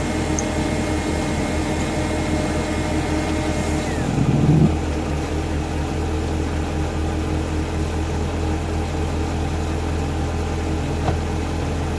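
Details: A V8 idles with a thin, steady high-pitched squeal over the engine note, then brief revs: belt or pulley squeal on a BMW E39 540i M62TU B44.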